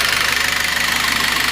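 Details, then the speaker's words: Citroën/Peugeot C4 2.0 16v with a knock for two to three days that rises with acceleration. Quick, even ticking over the idle, like a sewing machine. Timing belt was checked and in sync; low oil pressure is suspected, not confirmed. "bom então descartamos então a suspeita que poderia ser pessoal o barulho aqui é de uma máquina de costura"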